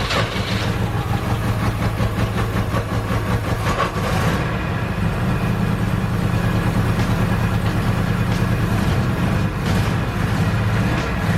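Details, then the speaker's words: 1976 Subaru 4x4 wagon four-cylinder, hard to start for months: idle irregular and loping, wandering in strength; rough idle, cause not yet found, spark plugs to be replaced first. "so for the past couple of months i have had issues starting the car and when i've managed to get it started it doesn't idle very well you can hear in the previous clip it just doesn't sound right"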